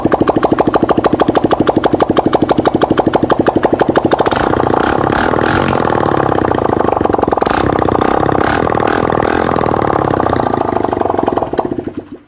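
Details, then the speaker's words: 160cc motorcycle with a loud engine noise, after engine rebuild, first start without exhaust fitted: fires, settles to a steady even beat, revs cleanly without misses or knocks, loud from the open port, no smoke; normal running. "Meu filho, não há fumaça nenhuma, tá? Se motor ficou zero, ó."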